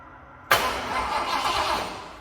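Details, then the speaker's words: Ford F-150 with replacement distributor, timing set close to correct: brief crank, fires almost instantly and settles into an even run without stumble or hesitation; normal quick start. "so you can see it turns over quickly it's what you would normally expect"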